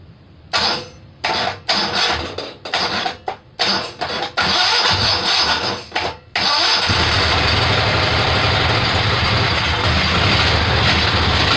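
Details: Kohler Command 18 hp after rebuild and carburetor work, first start: several short cranking bursts, then it catches and settles into a steady, even run; engine runs fine.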